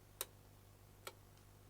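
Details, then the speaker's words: ALDI remote-control switching socket just paired to channel A: three crisp single relay clicks about a second apart over a low hum as it switches on and off, with indicator light. Relay switching normally. "You can hear it ticking and it's got the little light there as well."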